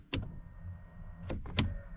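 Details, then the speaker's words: Fiat Ducato van, key on, electric mirror adjuster: short quiet motor whir between soft clicks as mirror moves, no grinding or straining; motor works normally. "But no, nothing on that one. And on this side, you can hear the motor working."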